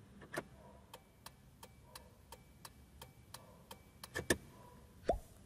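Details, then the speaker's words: Car after replacing the hazard switch, which had caused turn signals not to light and a constant dash light, testing left, right and hazards: crisp even relay clicks about eighty per minute; working normally. "Agora só para fazer o teste. Vamos ligar aqui. Para a esquerda. Direita. E o próprio pisca-alerta."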